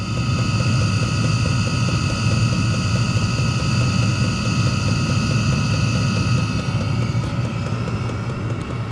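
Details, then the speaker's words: Chinese diesel heater in the shop burning a 50/50 blend of used oil and diesel, tank half full, just after starting. Steady low burner roar with fan hum and faint high tones, no smoke seen: it starts and runs normally. "But I'm not seeing any smoke or anything like that. It started up just fine."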